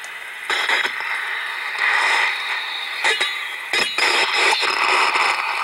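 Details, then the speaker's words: Window AC unit on R22 checked with a roughly 30-year-old Delcon/HP 4905A ultrasonic detector: a scratchy hiss swells into a harsh rushing squeal at one coil joint, marking a refrigerant leak on the heat exchanger. "you can actually find the leak instead of using bubbles or something you can actually listen to it that's just a third Otway of locating the leak on a heat exchanger"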